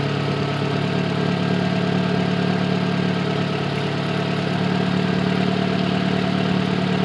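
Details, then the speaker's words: Engine idling after repairing an intake manifold leak caused by an improperly installed manifold brace: steady, even, smooth low hum with no misses, ticks or hissing; no fuel or vacuum leaks, running normally. "Alright. Seems to be running decent. No fuel leaks. No vacuum leak."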